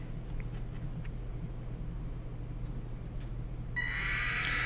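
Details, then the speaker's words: Robot car DC gear motors driven through L298N by Arduino at PWM value 90: low steady hum, then after nearly four seconds a high PWM whine as the motor finally starts late; 100 is reliable — marginal start at low PWM. "one set started and the others kind of started but started a little late so I'm gonna say it a hundred they seem to be fairly reliable"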